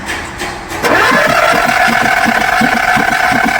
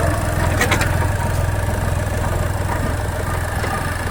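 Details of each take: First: Skoda Fabia diesel with VW Polo three-cylinder engine that died while driving, won't start; timing OK, injector-hole test shows no compression in cylinders 2 and 3, only normal in 1. Steady starter whirr with soft even puffs, never catches; low compression. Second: Skoda Fabia diesel with VW Polo engine that had died while driving; started and held on the accelerator 5–10 seconds so injectors won't lock; steady even diesel clatter, firm low drone, no knocks or misses; running normally.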